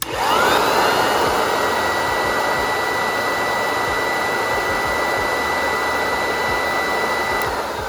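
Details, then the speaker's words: Vintage Hoover 1334 vacuum cleaner, motor stripped, cleaned, bearings cleaned and reassembled, bench-tested before final assembly: spins up quickly to a smooth, steady whine without rattles or grinding, then coasts down; healthy. "So let's hope that it doesn't sound like the vacuum from hell. Now that sounds so much better."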